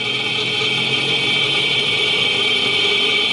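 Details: 2009 Nissan Altima, front left hub heard through a Steelman electronic listening tool: steady even hiss with no growl, grinding or rumble; this bearing sounds healthy, the noisy bad bearing is on the front right.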